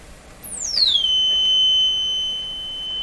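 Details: Known-good tweeter fed from an audio signal generator during a stereo speaker restoration; clean, very high steady tone sweeping down then holding, no buzz or crackle: normal tweeter output.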